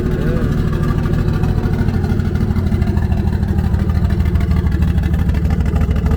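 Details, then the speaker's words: Nissan S13 on E85, on jack stands, just after a hard cold start: low, steady idle around 700–800 rpm with an even firing beat and no knocks or misses. Fuel pressure, oil pressure and temps all good; engine sounds healthy. "motor i mean the motor sounds healthy that [ __ ] i run in like a champ right now let's see what the idol is at yeah she added a nice little 700 right there 750 800 right there"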